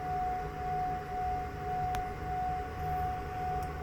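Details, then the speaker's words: Pecron E3600LFP power station while solar charging; steady higher-pitched rotating whir over even fan rush with no rattle or surging; normal cooling fan noise. "so you can see there is kind of a higher pitch rotating noise um I could see how that'd be annoying for some people"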